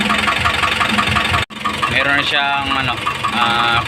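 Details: Isuzu 4BC2 diesel at idle: sharp, regular knock about three times a second rides over the engine, with voices behind; cause undetermined.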